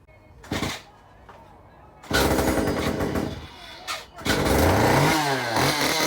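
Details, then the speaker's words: Stihl MS194T chainsaw cranked, run and shut off: thin squeal from the crankshaft rubbing behind the clutch; repair is to remove the clutch (left-hand thread) and file down the crankshaft there. "The sound you heard at the beginning and at the end when I cranked it and then when I turned it off, that's the sound I'm talking about."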